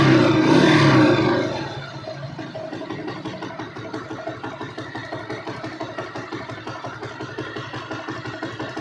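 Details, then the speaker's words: Honda TMX motorcycle single-cylinder after a hard start: busy, fast clatter over a rough but steady idle; the engine knocks and rattles internally, source not pinned down, engine to be torn down and overhauled. "Okay guys ah napakaingay niya guys makaldag na may kalampag na malagitik siya mga idol ayan napakaingay"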